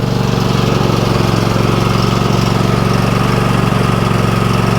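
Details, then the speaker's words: Small tractor/mower engine at idle with half a tank of fuel: steady putter with a faint, occasional skipped beat; earlier knocked and popped as if one cylinder wasn't firing; oil and fuel checked fine; cause unconfirmed; slight miss. "I mean, it sounds pretty good now. You can hear it missing a little"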